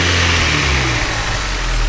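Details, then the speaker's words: VW Golf Mk3.5 colour concept convertible, ABF 16V engine: idle sags then climbs back and won't settle; hunting idle attributed to the idle micro switch being off or not working properly. "these ABF's softer from a micro switch back here being out of one pulling off or not working properly and the idol will all over the place up and down"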